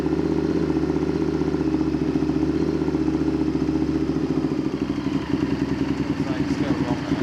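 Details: Honda VTR Firestorm V-twin idling after carb/idle adjustment: uneven lumpy beat rising and dipping instead of holding steady; running better but still not right.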